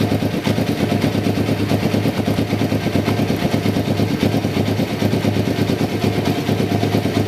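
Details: 1993 Kawasaki Vulcan EN500 bobber project, started after removing the reed/air suction valve and installing and synchronizing the carburetors; mixture not yet tuned. Steady loping twin-cylinder thump, about three beats a second, even between blips; carbs sound well balanced.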